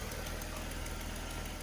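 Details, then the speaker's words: Mercedes W124 with 146,000 km at idle: quick light ticking keeping pace with the engine, from a blown-out exhaust manifold gasket; simple repair still pending. "As mentioned, here is that blown out exhaust manifold gasket causing the ticking noise. That's again just a pretty simple repair, and that will happen in due course, amongst the many other items, but overall I'm pretty happy with this car."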